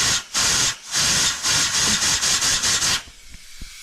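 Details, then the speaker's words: Mitsubishi Evo 7 4G63T turbo car running 28 psi boost, car raised, air fed into the wastegate actuator: sharp bursts of air hiss each time air goes in, dying away when it stops; wastegate actuator leaking and completely stuffed, causing overboost. "it's not meant to be making that noise this wastegate is completely stuffed"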